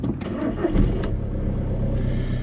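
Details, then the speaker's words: 2008 Skoda Octavia 1.9 TDI, high mileage, cold start after glow plugs warmed (glow plugs due for changing): diesel cranks briefly, catches at once and settles into an even, steady clatter; normal clean cold start, first time. "Starts first time as always."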